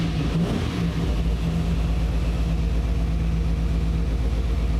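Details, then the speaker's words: V8 after correcting ignition timing (it had been set from the wrong TDC marks on the balancer) by turning the distributor: deep even rumble revving up cleanly with no misses, popping or pinging, idle needing to be turned down; normal revving. "and now this thing is Rev right up got to turn the idle down"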